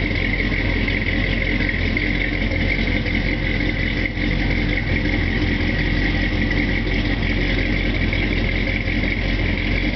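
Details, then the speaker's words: 1967 El Camino with ZZ4 V8, cold start after sitting, recorded outside; steady, even rumble at cold idle with no misses, knocks or ticks, no fuss, healthy engine. "Outside, you can just see what the cold running is like. No fuss, no muss."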